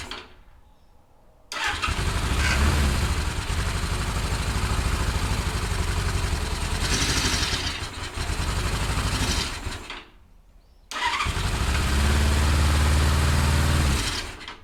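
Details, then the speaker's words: 1977 Suzuki GS550 café racer after carb cleaning, started on choke: runs about eight seconds with surging, climbing revs, dies and restarts racing; needles wouldn't adjust down, cause was the carb throttle shaft in backwards, fixed by rotating it 180 degrees. "So I said, you know what? I bet the throttle shaft is in backwards. So I took the throttle shaft out, I rotated it 180 degrees, I put it back in, and sure enough, it solved the problem."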